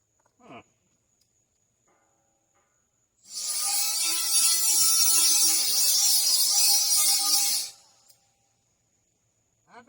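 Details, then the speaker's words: MIG welding on a trailer main frame repair: harsh, crackling hiss that sputters and spits unevenly instead of frying smoothly; welder suspects poor prep, arc not making contact through paint; poor-contact arc spitting. "something ain't right its spitting do you hear it arcing out and stuff?"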